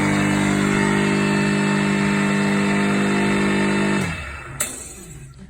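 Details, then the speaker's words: Repaired 240V 3hp single-phase 2850 rpm motor, broken end casing fixed, bearings and fan refitted, temporarily wired off a 16A plug, on a wooden bench: even steady hum with bench rattle, then clean spin-down after switch-off; normal motor run. "bit noisy on the wooden bench let's just lift that off there put it down onto the floor"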